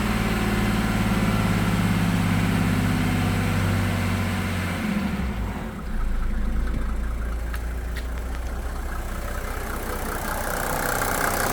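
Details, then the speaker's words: 1987 Mercedes 300SDL W126 OM603 diesel, idle during a diesel purge: even idle with only light, soft clatter at a steady low rhythm; the engine sounds smooth and quieter than before. "Sounds so good. So look how quiet it sounds now."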